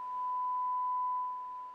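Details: Pioneer SX-255R receiver amplifier on the bench, left channel with a sine test tone: pure steady tone with no buzz or crackle; healthy channel, while the right channel is low and distorted.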